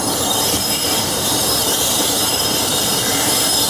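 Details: Class 47 diesel locomotive 47077 braking just outside Levisham station, North Yorkshire Moors Railway: steady high-pitched shrieking squeal with hiss over slowing wheels, ordinary brake and bogie squeal.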